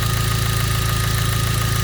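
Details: Hyundai Genesis 2.0T at idle: rapid, even deep knocking about ten per second from a spun rod bearing, caused by a faulty oil pump starving lubrication; no oil pressure warning or limp mode occurred.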